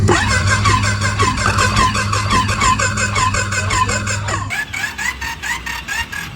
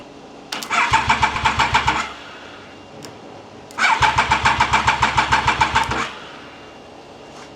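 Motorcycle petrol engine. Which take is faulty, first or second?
second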